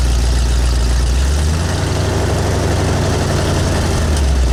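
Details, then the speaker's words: V8 with speed-density injection and an oversized cam, idling on new Cherry Bomb Turbo mufflers replacing glasspacks: deep, steady low rumble with a slightly lumpy beat, nothing knocking or rattling; normal idle exhaust note. "all right so here's what the cherry bomb turbos sound like yeah gone is that cool rumble at the glass packs had but it doesn't sound bad at all"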